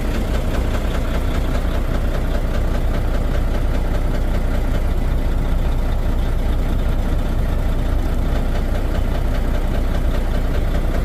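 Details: Volvo D13 diesel at idle: deep, uneven lumpy knock around two and a half per second, misfire and low power traced to badly worn, damaged fuel injectors.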